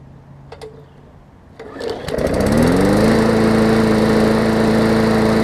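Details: 2014 Bolens push mower with Briggs OHV engine after fitting correct spark plug and replacing missing carburettor jet ball plug; catches after a few pulls, settles into steady even drone, no misfire, knock or hunting; normal running.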